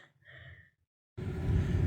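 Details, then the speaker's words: New Coleman 80% gas furnace replacing a 35-year-old unit with a cracked heat exchanger, refired after a blower wheel rubbing check: blower spins up to a deep, even rumble with no scraping, running smooth; normal blower operation. "Alright guys, she's running nice and smooth now, no problems."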